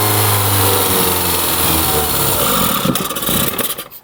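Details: Barn-find Mini Cooper with the accessory belt cut off because the alternator is seized solid (water pump free, oil pressure light goes out): petrol engine runs fairly evenly with a busy mechanical clatter, picks up briefly on throttle, then drops away.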